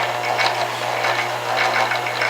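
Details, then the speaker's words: Staples SPL-TXC18A paper shredder after repair, motor now wired with its start/run capacitor: steady whirring gear train with even light mechanical chatter, no grinding or catching; normal running. "we have it working now the gears are turning"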